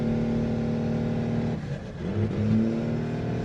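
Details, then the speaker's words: Second-gen truck that idles extremely high because the engine computer reads ambient temperature as -47 (coolant temperature circuit showing zero volts): very touchy throttle, engine hum sags and surges unevenly under light steady throttle while accelerating; erratic revving. "This truck has the touchiest throttle I've ever felt. Here, we're going to just try and accelerate normally. This is like very steady on the throttle. What in the world is going on with this thing?"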